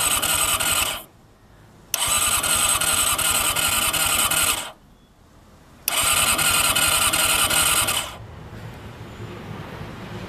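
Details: Honda CBR400RR NC23 with fresh petrol and unbalanced carbs, fuel pump not heard priming: three long bursts of fast, even starter cranking, about four turns a second, never firing. Cranks but will not start.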